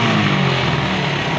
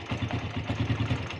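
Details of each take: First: Suzuki Satria FU carburetor motorcycle after fixing carburetor diaphragm spring that was installed upside down: now starts on one kick, throttle opening picks up cleanly and returns to steady even idle without stumbling or dying; sounds normal. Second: Suzuki Satria FU carburetor motorcycle, hard to start in the morning and dying on initial throttle: idles normally and fine at low rpm, but opening throttle gives uneven stuttering, coughing hesitation; cause was the carburetor diaphragm spring installed upside down.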